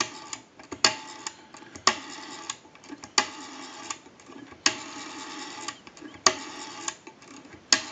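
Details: Repaired TP6A military rotary desk telephone dialing out on final checkout: crisp bursts of dial clicks with a short sharp snap roughly every second in a quiet room. The dial returns cleanly; normal rotary dial operation.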